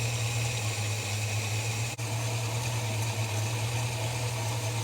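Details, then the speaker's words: Holden HK after new plugs and mixture-screw adjustment: slow, steady, even low thrum with no misses. A healthy engine deliberately set to a very low idle. "let's have a little bit of a play of the mixture screws here that sounds about it to me I like to run a very low idle"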